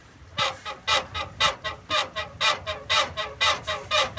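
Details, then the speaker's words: 2004 Chevrolet Astro, lowered, body bounced by hand: sharp rhythmic squeak with each bounce from the rear leaf spring suspension, mostly driver side, passenger side too when bounced harder; upper shackle bushing suspected, not confirmed. "okay when you bounce it harder then the passenger side start singing too okay so you think it's the upper shackle bushing"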